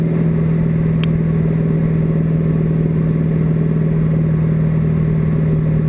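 Loud steady low drone with an uneven pulsing beat of about four per second; the engine is running rough, likely misfiring.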